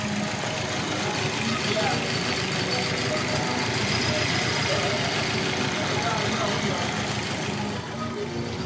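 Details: Audi AMB petrol engine idling roughly with an uneven, stumbling beat and a hiss: misfire on cylinder 2, unchanged after a turbo swap; coolant found in cylinder 2, owner suspects a cracked head.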